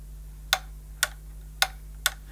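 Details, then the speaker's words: 1973 Hoover Senior vacuum, model 6525C, 240 V, two-speed 420/650 W motor: four crisp clicks half a second apart over a steady motor hum as the microswitch boosts it to 650 W for tools; normal microswitch clicking. "and that's what boosts the motor from its normal carpet cleaning to its 650 watts for above floor cleaning"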